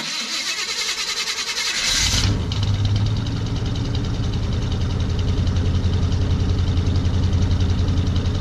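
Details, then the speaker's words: Older 4x4 Chevy van, believed 350 V8 (new motor around 2011), just driven 160 miles with steady temperature and oil pressure; starter cranks about two seconds, fires, settles into heavy loud steady idle; loud engine, cause unclear. "It is loud. I'll start it up for you."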